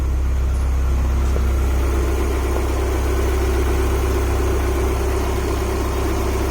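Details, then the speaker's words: Honda H22A after an ARP head stud install and intake setup, on its usual tune: a steady, even idle with a smooth low drone and no knocks, ticks or stumbles, idling on its own, though it seemed to run rich. "Well, it's idling on its own. This is the same tune that it's always had, so it should be lean, honestly. Sounds good."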